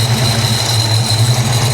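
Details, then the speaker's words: 1994 SN95 supercharged Mustang GT, 347 stroker, previously submerged in salt water: a steady high-pitched hiss over an even V8 idle that stops when the throttle body is covered. Vacuum leak from a broken throttle body needing replacement. "And I know you're hearing that noise, that hissing. You're probably thinking, that's a pulley. It's coming from here. See? When I cover it up, it goes away."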